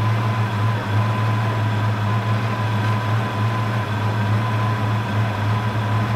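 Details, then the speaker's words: 1992 Ford Mustang LX after new spark plug wires, coil, cap, rotor, platinum plugs and MSD setup: smooth, even idle with steady low burble, no stumbling, misfire or tapping; sounding good, normal idle. "all right she's sounding good we're gonna go take her for a test drive"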